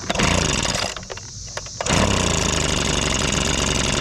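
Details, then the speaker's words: Old, abandoned Echo leaf blower, a two-stroke, running with heavy smoke: revs dip and stumble, then it runs flat out again; earlier it bogged and quit. The engine is bogging; a massive leak is suspected. "well it was running awful started to bog and then quit so something ain't right"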